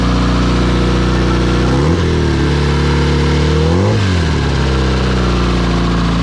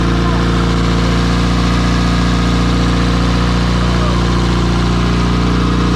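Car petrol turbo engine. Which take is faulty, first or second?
first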